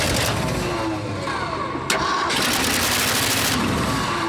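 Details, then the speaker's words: Abandoned 1979 Ford F-350 dually with suspect ignition and fuel supply: the engine cranks, catches and runs rough only while the key is held in start, then dies; there is no ignition run voltage, and a carburetor and 12-volt pump are planned. "I have to keep it, the ignition turned to make it work."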